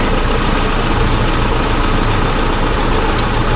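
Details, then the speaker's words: 2004 Hyundai Elantra 2.0L after timing belt, water pump and oil pump job for a pressurized oil leak (suspected crank seal): smooth, even idle with a steady low drone and no knocks, ticks or misses; no leaks, cooling system being burped. "no leaks anywhere so that's number one so we can go ahead and bring this thing down and have it run so i'm good i'm happy with this"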